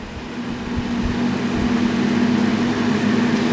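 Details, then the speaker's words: Kenmore 20" box fan model 258.32062310, dirty and possibly slightly warped blade, on low speed: steady low motor hum with loose uneven rumble; fan shakes quite a bit, not very loud, moving little air, owner expects better once cleaned. "Well, it shakes, I'll give it that much. It shakes quite a bit. It's not outrageously loud for the amount of air that it's moving."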